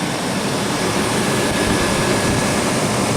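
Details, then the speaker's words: 1996 Chevrolet Blazer, running again after a bad battery connection; the alternator is charging. Smooth, even hum with a steady low rumble and no knocks, misses or squeals. A healthy, quiet idle with no apparent exhaust holes. "Yeah, this thing's running good. It's quiet. Doesn't sound like there's any, holes in the exhaust. Sounds good."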